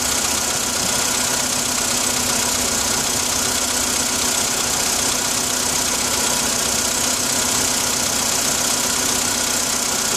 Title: Стук на холодную